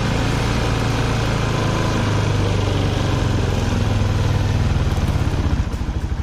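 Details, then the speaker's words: Yamaha Jupiter MX after fitting boring kit and head, first start: even, steady low putter at idle with no knocks, ticks or misses; engine sounds very smooth and radiator coolant not spitting. "Suara mesin lembut, air radiator normal nggak nembak."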